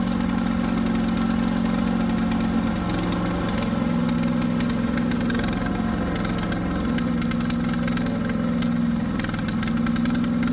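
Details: New Harbor Freight Predator 212 chipper shredder that previously ran only on choke, restarted after the fix (choked, then choke eased about halfway): steady, even run with no surging or hunting, running cleanly off choke.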